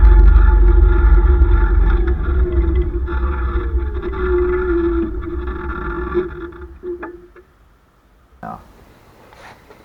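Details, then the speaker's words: Electric scooter ("The Monster"), heard through the frame on a waterproof-cased camera: motor whine with a rough rhythmic grind fading as it slows; loose splines on brand-new rear hubs on a new axle, apparently both sides. "is the hubs grinding again i know what's gonna happen if i let that go it sounds like both of them are doing it"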